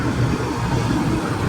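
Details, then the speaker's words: Older Comfortmaker forced draft furnace that turns on but will not ignite, showing a 4-flash code from an open high limit switch: a steady low fan hum with no burner whoosh following. "So as you hear, it's turning on, but it's not igniting."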